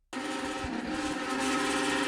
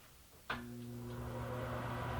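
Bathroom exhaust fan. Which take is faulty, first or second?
first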